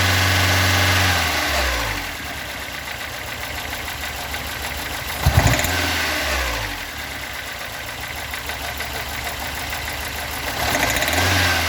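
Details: Stock bigport (blue top) 4AGE in a Toyota AE86, about 195,000 km on the dash clock, warm: rough, uneven idle with about four knocks a second and occasional dips. Cause unknown.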